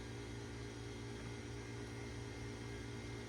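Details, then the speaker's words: 1991 Tandy CDR-1000 (Mitsumi CRMC-LU005S) CD-ROM drive: steady low motor hum with a faint irregular churn and a brief hang, the disc spinning up but never settling to read; disc read failure, though an improvement over a drive that would not spin. "So there might be some hope here. I hear it making noises. I don't know. I mean, it's better than it was. Just sort of hung up there for a sec."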